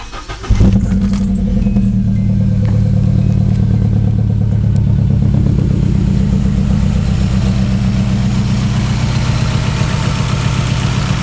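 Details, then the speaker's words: Nissan KA24DE at idle: engine catches and settles into deep, lumpy idle with uneven, stumbling beat and heavy shaking; plugs, wires, distributor and rotor checked okay, owner suspects fuel problem; rough idle misfire, unconfirmed. "All right, this is my KA24DE. Uh, giving me some problems. Sounds really weird."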